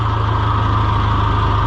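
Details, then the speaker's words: John Deere 2020 HU tractor at steady, even diesel idle, smooth low chug with faint hydraulic pump hum; everything works right after starting, though hydraulics slow down the longer it runs. "So you can hear that it's running the pump, and now when you first start it, everything's great."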